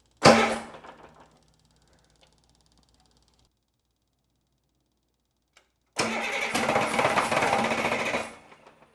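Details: Rebuilt Caterpillar 3306 diesel from a 977L track loader, after head bolt work, injectors bled, glow plugs hooked up: short cranking burst dies, then a rough two-second run that quits; hard start, owner suspects air in fuel or compression loss from leaking head gasket.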